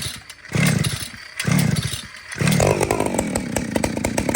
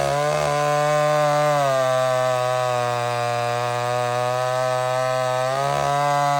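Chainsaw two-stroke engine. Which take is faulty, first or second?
first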